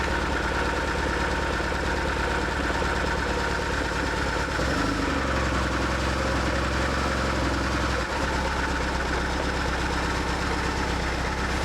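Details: 2004 BMW R1150R, 22,711 miles, after refitting loose injector connectors: uneven start settles after five seconds into fuller, steady twin-cylinder idle with even low pulses; both cylinders firing.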